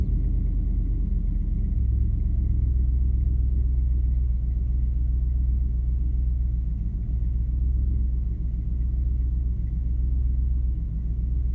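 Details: Ford F-250 7.5L 460 big-block V8 after replacing starter bypass solenoid for no-crank no-start; deep, steady rumble with even beat, no clicks, stumbles or misses, running normally.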